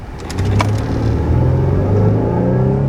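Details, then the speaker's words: Chevrolet Avalanche on test drive after wheel bearing replacement, pulling away from a stop: engine rises smoothly from low rumble to a revving drone with no stumble or misfire; healthy acceleration. "That's taking off good, sounding like that. Yeah, the engine's revving, dog."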